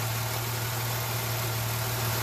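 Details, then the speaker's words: 2006/07 Jeep Liberty that had P0301 and random misfire codes, after swapping coil 1 to cylinder 3 and wiping water off the coil: steady low hum, even beat, no stumbles; no code returned, later 12-mile drive fine. "started up it's running it's weird you don't see a misfire no more Cod hasn't come up yet I'm going to take it for a spin in a little bit but right now it's just running pretty"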